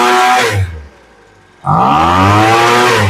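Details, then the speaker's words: Poulan Pro leaf blower, after adjusting the high-speed mixture screw (farthest from block) half a turn: revs drop to idle, then snarl climbs with a brief lag on takeoff — acceleration hesitation from mis-set high-speed mixture. "Now you hear that little delay when it takes off? Pretty big difference on just a half a turn."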